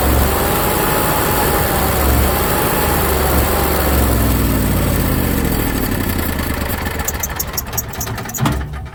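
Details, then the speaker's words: Onan Cummins HGJAB QG 7000 generator drone sagging, stumbling and winding down after the fuel pump fuse is pulled; fuel starvation empties the float bowl and triggers a three-flash fault code 36. "all of the computer knows is that the generator stopped we know it stopped because I pulled the fuse right there for the fuel pump and we'll demonstrate that there's not much fuel left in that bowl at this point in time"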